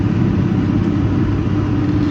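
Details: Heat pump reported for loud noises: steady heavy low rumble with a churning, gurgling undertone on startup.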